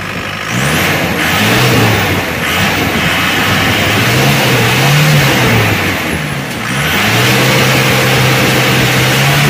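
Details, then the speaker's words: Isuzu Panther turbo diesel pickup revved hard: revs falter and stutter, rough sound, because the injection pump's one-way valve (appears non-original) closes under big throttle and starves fuel; valve replacement recommended. "itu terus Kalau diteruskan Dia ee akan valpnya nutup jadi solarnya itu kurang akhirnya mrebet-mbet gitu terus suara agak kasar ini ada masalah di valbnya"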